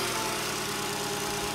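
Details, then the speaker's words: 2000 Fiat Panda Young (chassis 141) after engine rebuild for worn rings, oil seepage and carbon buildup (new rings, valve seals, hand-lapped seats, oil pump, timing chain and tensioner, radiator, thermostat): started on a very hot day, smooth, quiet, steady idle; normal. "proviamo ad accendere il motore come sentite praticamente nessun rumore"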